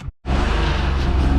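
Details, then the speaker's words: BMW E34 bought as an M50 swap donor, with a nearly failed automatic transmission, runs only when revved. Deep, uneven, lumpy exhaust drone and a bad misfire; owner suspects a large vacuum leak. Rough-running engine. "So it basically only stays alive if I rev it, and you guys can maybe hear from the exhaust. This thing ain't happy at all. Let's see if it'll idle. It's idling. It is not happy. I think this thing has a pretty wild vacuum leak."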